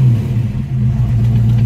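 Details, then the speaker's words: 1965 Ford Mustang fastback restomod, electronic fuel pump, 5-speed, warmed up a little (warm idle near 900 rpm): deep, even V8 rumble at idle, no knocks or misses, good tone; normal idle. "now that it's warmed up a little bit let's see what see it's got a pretty good pretty good tone to"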